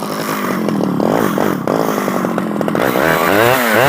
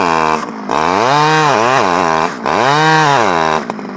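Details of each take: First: Stihl 011AV two-stroke chainsaw after a carburetor rebuild: it revs and bogs unevenly with the pitch wandering. It is hard to tune, with the low jet turned all the way in, and the owner suspects it needs crank seals. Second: Stihl 011AV two-stroke chainsaw after a carburetor rebuild and a spark plug coil wire fix; blips up and down a few times, then settles into a steady, even high-speed run with no stumbling. Running properly; owner guesses crank seals may be needed.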